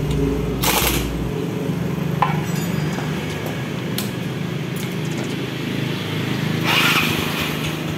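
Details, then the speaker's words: Yamaha Mio carburetor scooter after repair of a slipping electric starter that only spun without engaging: a short clean starter whirr, the engine catches at once and settles to an even idle; normal starter engagement. "Ini udah jadi sangat mudah sekali nih teman-teman kita starter lagi kita coba ya Nah langsung jadi nih teman-teman"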